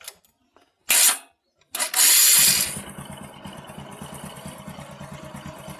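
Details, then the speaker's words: Motorcycle cam chain tensioner (lifter) giving no pressure to the cam chain: engine idles with a light, quick metallic tick-tick rattle over the exhaust beat, sometimes appearing and sometimes not; fixed by adjusting the tensioner. "today I want to show you how to fix cam chain tensioner lifter s attention air that have no pressure good pressure to the cam chain so it's appearing abnormal engines like tactic tactic tick-tick-tick regulars so the sound like this"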